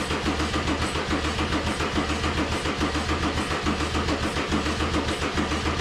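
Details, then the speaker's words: Mercedes 190E (W201) with swapped OM606 diesel, OM603 mechanical fuel pump and Holset turbo, first start: steady, even cranking at starter speed that never catches; smoking from the EGR but not starting, battery apparently goes dead. Cranks, no start; cause unconfirmed. "you saw me try to start it it's smoking but it's not starting now i forgot i had the same uh sort of issue last time i was trying to start the 600 bmw"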